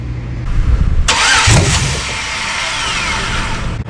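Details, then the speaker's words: 1994 GM OBS truck with LS swap, new harness: steady starter churning, fuel pump whirring while cranking, engine never catches; owner suspects VATS anti-theft blocking start with body module unplugged. "I think that's going to be the VATS vehicle ant any theft system that's not letting it start. The body module is what controls that."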